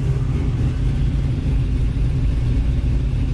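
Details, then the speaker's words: Warm idle of a V8 Nova after thermostat replacement, coolant refill and air-pocket burping, at about 186 degrees; deep, even rumble with the earlier bizarre rattle gone, possibly it was the grille resonating; healthy idle. "I think the rattle is is gone I mean I haven't heard anything since I started it again"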